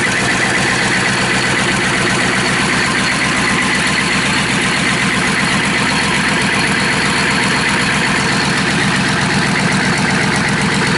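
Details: Rebuilt Chevy/GMC 6.5L turbo diesel V8, oil line looped to pressure gauge, just after glow plug start: steady, even idle with light injector clatter, no knocks or misses—running healthy.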